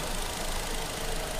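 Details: Palio Fire 1.0 2014 petrol engine, low mileage, warm idle during a service, scraping noise traced to compression leaking past a spark plug that wouldn't seat fully, now fixed: steady even low hum, no scraping or hissing; normal warm idle.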